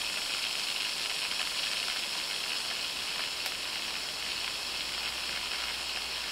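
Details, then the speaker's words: Daiwa 7HT ST baitcasting reel after brake plate rebuild with stainless steel main gear and pinion support, free spool with magnetic brake off: soft, even high whir with no ticks or grinding; spins freely for 1 minute 29 seconds. "Then that is 1 minute 29 seconds with the mag off."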